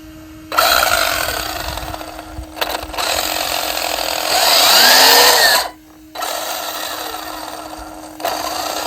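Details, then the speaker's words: FTX Zorro brushless RC car (27 mph run; ESC 46°C, cog hot). A high whine with a harsh grinding edge comes in bursts as the motor spins up, and it is getting worse. Motor is tight and the gear mesh seems okay. Owner suspects metal gear on plastic; unconfirmed. "Ah, there's that sound. It's even more now, isn't it? Yeah. I wonder what that is."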